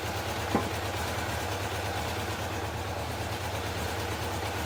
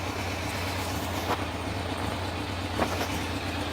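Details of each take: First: Honda F2 750 four-cylinder motorcycle, stood damp over winter, after replacing the fouled spark plug: steady even low idle with a smooth unbroken beat and no pops or stumbles; misfire cured. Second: Honda F2 750 four-cylinder motorcycle after standing damp over winter: steady idle broken by a sharp pop every second or two; number 3 cylinder runs cooler and misfires on a faulty spark plug due for replacement.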